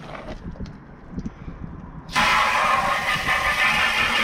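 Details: 2009 Honda CB400 V-Tec four-cylinder, sat for years, after new fuel pump and new battery; brief crank, then it catches at once and settles into a smooth, steady idle with no stumble; starts healthy.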